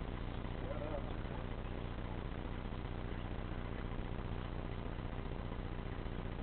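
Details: Truck after sitting, just after cold start: lumpy uneven low idle beat of about two and a half pulses per second, running rough, then smoothing out after a few seconds.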